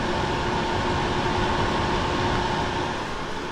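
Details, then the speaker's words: Xiaomi Mi Smart Air Purifier 4 Lite, new, running in manual mode, which is loud versus quieter auto/night mode; steady smooth air rush with faint even hum, no rattles or scraping: fan running normally. "okay let me put it back to auto mode you can hear the sound I guess this night mode so in night mode you can't hear it as much but it's still working and manual mode makes a lot of sound"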